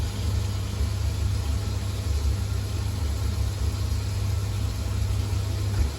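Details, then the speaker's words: Old Ocean Alpha 240 gas boiler, case partly off, unserviced, on heating and hot water: steady burner and fan roar for about 20 seconds then dies away; cuts out after ignition, found snapped corroded flue fan connection, boiler condemned. "So I've got an old Ocean Alpha 240. Basically fires up. Ignore that sound, I've already took the case off a little bit, just wanted to check something. Runs for about 20 seconds."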